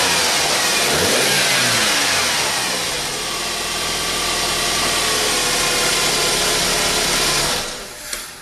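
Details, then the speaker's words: 2008 BMW E91 after coil pack and spark plug replacement: engine catches, revs briefly, then drops to an even, steady idle with no misses or roughness; normal idle. "so that sounds nice and smooth"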